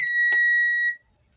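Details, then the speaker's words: APC UPS being converted to a solar inverter, just switched on with the battery connected: a single clear high beep shows it is working and running on battery power. "you can hear the beeping from the background that shows it's working fine and that shows it is running on battery power right now"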